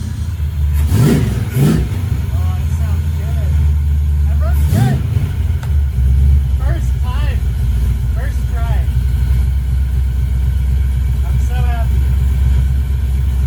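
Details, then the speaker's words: First start of a 1968 Mustang with a swapped fuel-injected Ford Explorer 5.0 V8 and 4R70W transmission; fires on retry, settles into deep steady V8 rumble, picks up cleanly on throttle blips, no misses or knocks, healthy. "yes that sound good s very good it started up the first time okay and that was with like a crazy amount of wiring"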